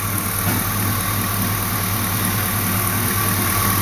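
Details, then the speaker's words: LS-swapped Mazda B2200 after replacing the idler pulley: smooth, constant idle with a low steady rumble and no squeak or chirp from the belt side; the noise is gone. "well folks they changed out that idler pulley which is way down they were looking at the backside of it and the noise is gone"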